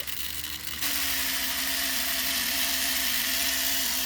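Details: Smaller 3D-printed redesign3dp Newman pulse motor prototype, no bearings, voltage turned up from 7 to 12 volts; steady high hum with fast fluttering pulses jumping in pitch as the floating rotor spins freely and noisily, giving good output.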